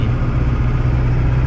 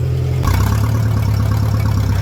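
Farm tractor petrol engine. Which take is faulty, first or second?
second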